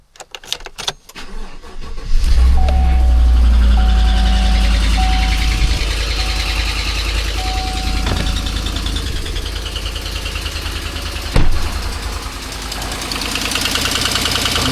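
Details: 2018 Chevy Silverado after water pump replacement and a new radiator cap; cranks, catches and settles into a steady, even idle with no pump whine or bearing grind. Healthy pump; a separate ticking from a broken exhaust header bolt quiets once warm.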